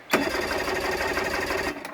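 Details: 55 hp Johnson two-stroke outboard after teardown, first crank test with no fuel tank connected; a short, even whirr as the starter spins the engine for about a second and a half, with no grinding or dragging, cranking normally.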